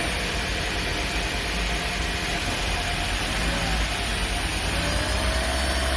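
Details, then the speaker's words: Steady, even low hum with no shake or stumble on a 2010 Toyota Prius hybrid, after ignition coil repair for misfire codes P0352-P0354 that caused shaking and poor power; engine now idles smoothly and normally. "อีก5วันนี้นะเครื่องยนต์ได้เดินนิ่งปกติแล้วนะต่างจากตอนแรกที่มานะครับ"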